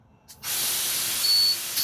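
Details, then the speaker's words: School bus air brake test, engine off, rear tank drained (blue needle moving), low air warning and buzzer came on at 70 psi. Sharp rush of air starting abruptly, steady with a brief surge; normal rear air tank drain hiss. "So now I'm going to drain it completely. I don't hear any more air releasing."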